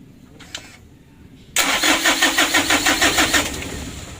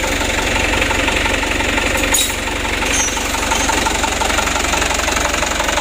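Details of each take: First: Mitsubishi Canter HD 125 diesel (possibly 2025) before Bosch injection pump repair: starter cranks in an even beat about three times a second for two seconds without catching or firing; worn pump plungers, no start. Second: Mitsubishi Canter HD 125 diesel truck (possibly 2025) after Bosch injection pump service, idle set around 600–620 rpm; even, steady clatter at about four beats a second, no misses or stumbles; normal idle.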